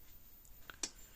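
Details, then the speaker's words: Premier 1 Hotshock 1000 fence charger after hard-wired retrofit of a different board, just plugged in: single crisp tick in a quiet room as it fires its pulse; normal fence charger pulse. "now it's working great it puts out a hell of a spark it's a hot hot unit so plug it in here"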